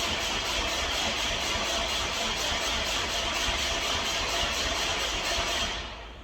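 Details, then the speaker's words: Subaru Impreza WRX, battery freshly charged: steady rapid starter whirr, engine spins without firing; crank no-start, owner says it is getting fuel and noticed the tachometer not registering while cranking; cause unconfirmed. "I'm already fed up I am so disappointed I had all the excitement in the world and for it to not start is it's a let down"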